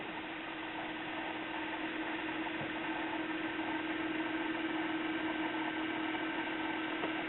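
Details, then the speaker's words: Caloric/Whirlpool stove clock timer motor, about 25 years old, before repair: a thin, steady buzzing hum with a faint whine; owner hopes it is just a dry bearing. "I just thought I'd let you hear why I need to do this I just like to listen to that all day Oh I'm hoping it's just a dry bearing after 25 years of sitting here"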